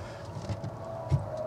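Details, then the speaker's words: 1992 Marlin 24 ft boat with OMC King Cobra 454: newly installed dual-tank fuel selector solenoid valve with new wire terminals, switched on. A couple of soft sharp clicks over low hum show the valve switching normally. "okay I'm going to turn the uh switch on and you'll hear that little valve in there click so then you when it clicks you know it"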